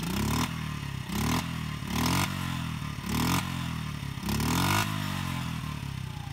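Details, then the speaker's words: Honda Z50/CRF50 small single-cylinder dirt bike, cold engine, stock baffle: blipped about five times, revs rising and falling cleanly with a quiet exhaust between; very quiet idle, runs normally. "so that was a rev and this is idle speed right here really quiet you can hardly hear it's almost like a electric bike"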